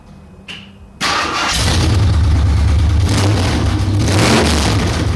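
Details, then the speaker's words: 1968 AMC AMX 401 V8 with freshly fitted driver-side headers, started with plug wires just thrown on and running open headers with no pipes: a brief chirp, then a loud, deep, rough lumpy roar; the camera has automatic sound cancelling, and a big exhaust leak is expected. "So, but what I am going to do is throw the plug wires on it and start this thing and see what it sounds like with open headers. Probably won't do much."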